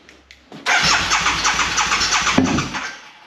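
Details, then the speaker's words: Fuel-injected Harley V-twin parked about nine years, cranked out of gear to check battery: starter churns, then it briefly catches and runs rough a couple of seconds on leftover fuel before fading; normal cranking. "okay had a little bit of fuel in it still yeah all right we good"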